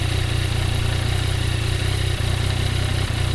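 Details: Yamaha CP3 three-cylinder motorcycle idling with a loose, chattering rattle on the low exhaust pulses: clutch basket rattle, checked by measuring play in the clutch housing for excessive basket slack.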